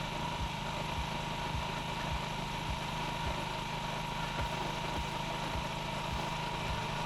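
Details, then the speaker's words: Honda Ruckus scooter single-cylinder with replacement carburetor, warming up after idle adjustment: low, slightly uneven idle with a soft irregular lope, lugging and wanting to stall; idle set too low, still inconsistent. "see every time I hear it starting to kind of lug a little bit and wanting to stall out I just turn a little bit more throttle a little bit more on the idle see there's there's still a little bit of inconsistency in it idling"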